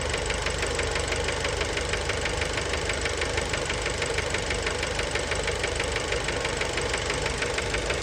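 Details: Fiat Bravo 2 1.4 T-Jet 150 HP, 215,000 km, after recent maintenance, idle recorded close to the engine: sharp, regular metallic knocking about three per second; worn connecting rod bearings, cause unknown, car scrapped.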